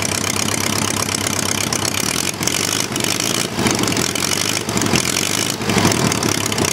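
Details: Homemade 4-cylinder Briggs & Stratton engine on a generator, unrun for over a year. After starter/generator repair, spark plugs and priming, it settles into a busy but fairly even idle with rattle and hiss and no misfire.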